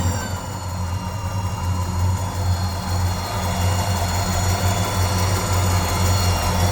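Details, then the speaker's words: 1963 Ford F100 Stepside V8, original-condition farm truck, in neutral: deep, even idle with a low burble and a faint thin whine believed to come from the new alternator; normal healthy idle. "Man, that sounds awesome. I hear that little bit of a whine. I bet that's the new alternator doing that. Wonderful sound out of the exhaust."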